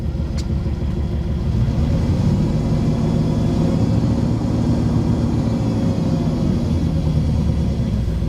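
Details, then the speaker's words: 1999 Jeep Grand Cherokee 4.7L V8, 146,000 miles, first start: lumpy uneven loping idle with the whole Jeep shaking; rough idle, suspected misfire. "oh yeah that is not good the whole Jeep is shaking"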